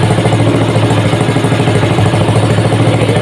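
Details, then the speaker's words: Small single-cylinder petrol water-pump engine converted to LPG, intake opening not yet capped: uneven sputtering idle with stumbles, running lean because too much air is entering. "Ini masih berebet karena angin yang masuk terlalu banyak."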